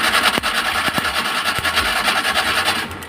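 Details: Maruti Omni cranking but not starting: rapid, even cranking, no firing; fuel reaching engine, but spark very weak at the plug wires, ignition/spark plug cables found faulty.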